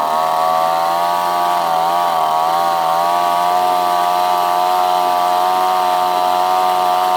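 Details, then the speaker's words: Outboard after new carburetor install, fuel-air mixture screw not adjusted, choke fully on: steady high buzzing fast idle, pitch holding even with slight dip and recovery; running fine. "it seems to be running really good I'm just gonna try to try it fire it up here again I got like a little Idol that joke all the way on"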